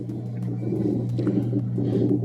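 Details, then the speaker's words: Whirlpool Cabrio Platinum top-load washer (WTW8240YW0) on spin cycle: low rough "freight train" rumble under motor hum, ramping up from low-speed rotation; bad tub bearing causing grinding during spin, bearing kit to be replaced. "you can start to hear the grally sound right now and it's in the low speed rotation now you can hear it ramping [Laughter] up and that sound is the sound of bad bearings"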